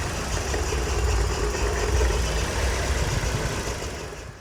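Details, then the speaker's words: Scion xB petrol engine, code P0300, idling rough with an uneven low thumping. The cylinder 2 coil pack was swapped to cylinder 1 and the misfire followed it, confirming the coil pack. Spark plugs were regapped first without fixing it. Engine misfire from a faulty ignition coil. "yeah so I checked the obd reader and it says that it is now misfiring on cylinder 1 so I know the problem followed it over with the coil packs"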